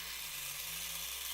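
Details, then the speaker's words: Cheap plastic three-arm fidget spinner's stock bearing held to the microphone gives a hissy, gritty high whirr with slight wobble, much noisier than a normal bearing; noisy ball bearing. "like quite a bit noisier than the normal bearing put it up to the microphone quite a nice looking design this one there quite a noisy bearing"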